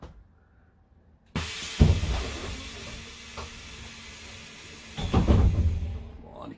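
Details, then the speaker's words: Setra S 315 bus, fleet number 83, ignition on, front and rear air doors cycled: two sharp hisses, each with a solid door thump, no leaking or stuttering; pneumatic doors working properly. "aber erst machen wenn man hier die türen auf und zu wie das alles so funktioniert vielleicht könnt ihr die tür geräusche auch für sie spiele gebrauchen"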